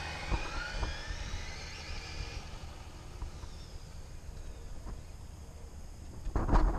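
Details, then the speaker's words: HPI Blitz RC drag car on launch with slipper clutch (nut on spur gear) set far too loose: high shrill scream rising and wavering without hard pull, clutch slipping; owner then tightens nut half a turn. "that setting was way too loose you can hear it screaming the clutch is just getting wasted right there so I'm gonna tighten it up a little bit and try it again"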